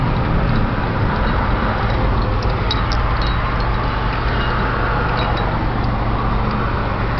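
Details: 1997 Honda Civic LX automatic, check engine light with catalyst efficiency below threshold Bank 1: heavy, deep exhaust drone under road noise while driving; owner unsure whether the muffler needs replacing. Cause unconfirmed.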